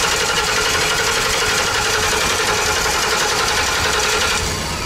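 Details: 2012 Ford E350 Econoline van after a new fuel pump, still no fuel pressure: rapid starter chatter about four beats a second keeps turning the engine over but it never fires; crank no start, immobilizer ruled out.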